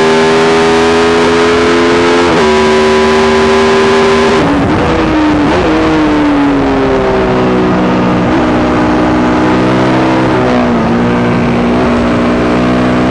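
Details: YZ450 single engine in supermono race bike, persistent misfire worsening after a couple of laps despite changed carb settings, fuel tank, filter, breathers, ignition, coil, generator; steady drone stumbles and dips in pitch, cause unknown.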